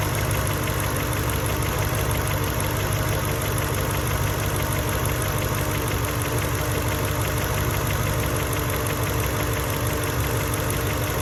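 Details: Mercedes E55 V8 with stage 1 remap and full engine rebuild, cold start: once revs drop, uneven lumpy idle as if misfiring, no codes stored; plugs, coil packs and leads changed within last 4k miles/1 year, cause unknown.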